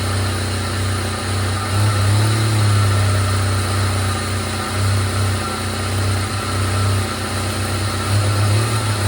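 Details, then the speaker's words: 1997 Jeep Wrangler TJ (2.5), warm-up idle after another replacement sensor: deep lumpy idle stumbling unevenly, steady miss, no check-engine codes. "Okay, still runs like [ __ ] Let's fire this guy up. See what happens. Please run better. I'm tired of this damn sensor already."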